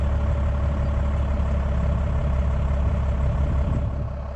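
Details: 2004 F350 with a 1997 12-valve Cummins swap and a new 6.4 starter: fast, even cranking rumble rolling straight into a steady low diesel run; a quick, healthy start.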